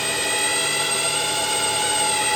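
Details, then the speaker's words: Lathe boring aluminium tube to 84.3 mm depth at 500 RPM, fine feed, spring pass, tube stuck out far from chuck: steady high resonant ringing over cutting hiss; boring bar chatter. "You can hear a sort of resonating sound. Obviously it's a tube, which doesn't help. It's stuck out a long way from the chuck, which doesn't help."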